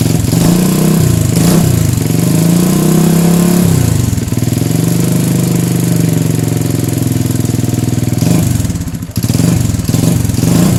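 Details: Motorcycle single-cylinder engine after repairing a carburetor that leaked fuel out of its overflow, with the float adjusted: clean putter that pulls through a few blips and settles to a steady idle without stumbling; normal running.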